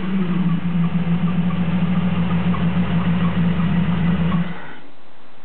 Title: 1993 Jeep Cherokee misfire.